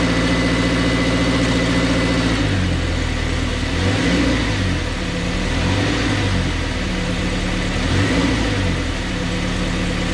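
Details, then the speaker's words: 2019 Subaru Crosstrek after beating bent aluminum Rallitek transmission skid plate away from exhaust: engine starts and runs smoothly with light throttle blips, no metallic rattle underneath; normal idle, rattle fixed. "All right, so no more rattle. I think we got that thing straightened out good enough to pull it away from the exhaust and also just kind of get it ready for another trip."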